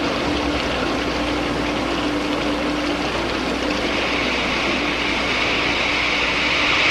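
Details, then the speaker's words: Water flowing through a venturi throat at about 20 inches of mercury vacuum: loud steady rush with crackling hiss swelling as absolute pressure drops below vapor pressure, steam bubbles form and collapse, cavitation. "these patches that form are actually steam this is cavitation when the absolute pressure goes below the vapor pressure of about one inch of mercury oiling occurs the water changes to steam and the subsequent collapse of the bubbles which you can hear creates enormous stresses in the wall"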